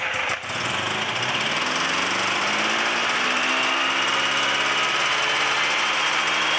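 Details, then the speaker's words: Free Yamaha Phazer II two-stroke snowmobile, carbs reset to factory, old gas replaced: rough fast rattle, pitch wandering when blipped; bogs under throttle. "all right so it starts it uh doesn't like me giving it throttle but it starts so let's start I just have to do some fine tuning up"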